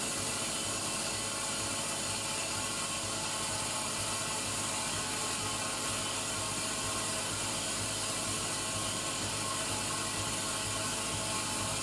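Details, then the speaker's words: Daihatsu Tanto L375S (early type with hydraulic steering pump), noise from the belt end of the engine bay: constant high-pitched rattling whir with a whine; an acquaintance suspected the A/C compressor, but it was the alternator bearing, fixed with a rebuilt alternator. "この音を聞いた知り合いが、『コンプレッサーじゃない？』と言ったんですが、なんか違う気がする・・・。"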